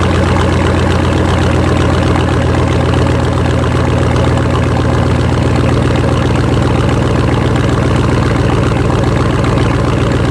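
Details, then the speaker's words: 2006 Chevy Silverado, under 80,000 miles when bought, V8 idling loud, deep and even with no knocks or misses; true dual exhaust, catalytic converters only, no mufflers; healthy engine. "it's good running truck has a nice shifting transmission no leaks now true dual exhaust catalytic converters only no mufflers no glass packs"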